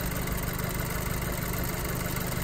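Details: VW Golf GTI that had rough running and power loss, after premium fuel additive and Nanotec engine oil additive treatment: steady, even low idle rumble with no misses, stumbles or knocks; normal smooth idle.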